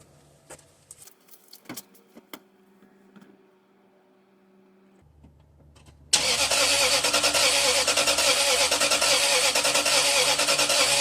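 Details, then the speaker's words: 2005 Toyota Sequoia, towed in, new battery fitted, possible immobilizer code: starter spins steadily, about three beats a second, never firing; scope shows no injector or ignition control and uneven relative compression; crank, no start. "all right all right so clearly no injector control no ignition control and our relative compression is kind of all over the board"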